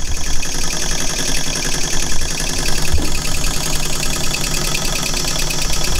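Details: Old small model steam engine, not run in about 20 years, running under pressure: steady high hiss of escaping steam over quick even chuffing from the cylinders; normal running with whistle and hiss.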